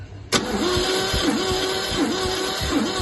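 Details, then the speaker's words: MGC 3.0 straight six garaged about 33 years, compression test cranking: steady, even strokes that sound alike, no hiss; healthy compression, about 150 psi across the board, around 140 on number 1. "good stuff. See, all 150 across the board. Well, 140 or something, I think, on number 1."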